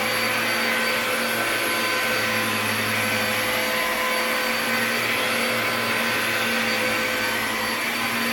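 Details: Bissell Powerglide 1647 vacuum after cleaning restoration (disassembled, vacuumed out, wiped, plastics polished), part refitted and run: loud steady motor roar with constant high whine, no surging, rattling or grinding over eight seconds; healthy vacuum motor.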